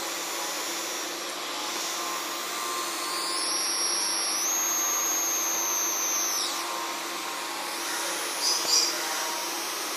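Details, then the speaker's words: 12V to 24V LM324 boost converter on breadboard, sensitive microphones at the coil: thin high whine changing pitch as output falls from about 30 V to 17 V under load and the supply collapses; boost converter inductor coil whine. "but I put my extremely sensitive microphones in there and yes and now we can clearly this in the coin wine a listen how the frequencies changing from 330 volts to 17 holes"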